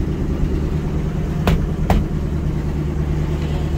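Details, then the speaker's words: 1980 Ford LN700, 370 big block V8 four-barrel, after sitting a few years: deep even rumble, no misfire or knock, a couple of clicks; runs pretty good, known bad exhaust leak. Normal running. "seems to run pretty good not too shabby"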